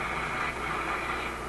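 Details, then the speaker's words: RCA A25 vacuum tube shortwave radio during RF alignment, band switch in the second position while tuning: a steady hiss and rushing static with a faint low hum drowns out any station. Heavy interference noise is swamping reception. "appears to be enough. And no wonder you can't receive anything. The thing is busy receiving this noise."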